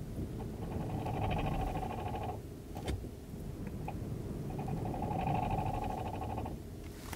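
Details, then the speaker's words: Kia e-Niro EV driving at -40°: two bursts of fast, buzzy clicking about two seconds each when the brake pedal is pressed, brakes working fine; cause unclear. "and there's still a weird clicky noise like when i press the uh the brake listen hear that"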